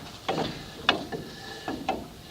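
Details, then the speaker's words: Rear drum brake on a 1988-1998 Chevy K1500 Silverado after service, drum turned by hand: a few soft, brief scuffs each revolution from slight shoe drag, which is the correct adjustment. "all right now I have this adjusted where there's just a slight bit of drag that you can hear"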